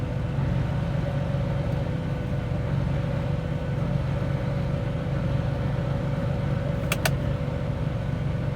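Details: John Deere 8420 tractor after rebuilding SCV number two, where a spring had likely caught inside: even low diesel idle with a steady faint whine and no pump strain. The hydraulic pump no longer stays engaged with the valves in neutral.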